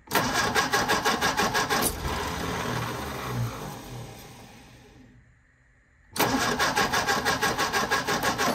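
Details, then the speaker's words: 1957 MG MGA roadster stored for many years, first start attempt, fuel pump pumping, shot of starter fluid: steady cranking about three compressions a second, never catches; suspected valves need cleaning for compression; cranks but no start. "I'm going to give it a little shot of starter fluid just to help it out we need to clean those valves up so that we have good compression and see if the engine starts"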